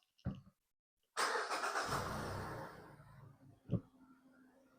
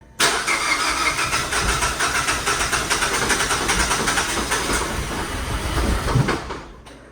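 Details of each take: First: 2021 Mazda CX-5 2.5L, previously crank-no-start after a DIY spark plug and coil replacement flooded the cylinders; a quick crank catches into a smooth, steady idle with no stumble and no codes; normal start and idle. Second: 2021 Mazda CX-5 2.5L towed in after a DIY spark plug and ignition coil replacement: the starter churns steadily for about six seconds with no catch, a crank-no-start.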